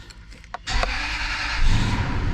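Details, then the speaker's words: 2000 Toyota Land Cruiser, 302,000 mi, interference engine, first start after broken timing belt replaced, shop had feared bent valves: a few clicks, then catches quickly and runs steady and even without clatter; no tailpipe smoke, sounds great. "Oh, okay. No smoke out the tailpipe. That's a good sign. Wow, it sounds great."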